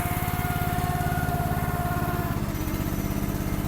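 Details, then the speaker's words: Gas-engine mini machine idling on a cold, snowy day while warming up: a steady mid-pitched hydraulic-pump whir over the even idle that fades near the end. It is loud when unused and quiets under use; the owner thinks it probably needs to warm up. "But when it's being used, it quiets down. See that? Leave it alone, it's whirring. Probably has to warm up some."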